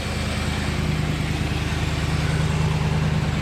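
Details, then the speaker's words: Cold Dodge Ram pickup idling, under hood: steady light tick about three times a second from an exhaust manifold leak, mimicking lifter tick; muffler rattle also heard at startup. "So you hear that ticking right there. That is an exhaust leak."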